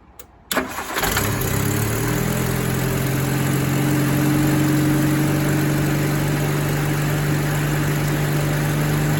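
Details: Rover P4 80 after replacing insulation-leaking ignition cables that had caused rough pinging: starts cleanly and settles into a smooth, even idle with a steady low hum, no misfire or pinging; sounds healthy.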